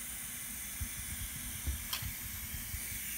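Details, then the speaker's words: Turbo diverter valve bench test at 30 psi in, only about 16 held, roughly ten pounds of leak-down: faint steady hiss under soft knocks, air escaping past the plunger; owner suspects this valve caused trouble on his car. "we're leaking out through here could be why the car that when I bought the car with these on that could be why I had it"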